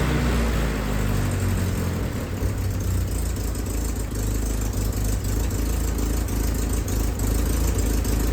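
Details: Willys M38A1 Jeep four-cylinder after tune-up for a small miss: new distributor cap, rotor, condenser, points adjusted, broken spark plug wire replaced. Idle throttle nudged up slightly, it gives a deep, smooth, even beat with no stumbles; pretty good.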